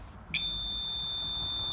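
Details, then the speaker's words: Power inverter with its battery a little low on voltage, as a 60 W bulb load is switched on: a click, then a steady high-pitched squeal from the low-voltage alarm. "now when I put a load on this you'll hear you'll hear the low voltage alarm squeal just because the battery is getting a little low on voltage"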